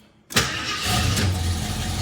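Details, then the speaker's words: 1973 AMC Hornet cold start after vacuum repairs, before setting timing and idle: quiet, then catches at once and settles into a steady run, a little grumpy; previously dieseled at shutdown and hung on hot restarts; good cold start. "all right cold starts pretty good does I mean maybe yeah okay yeah she's a little grumpy"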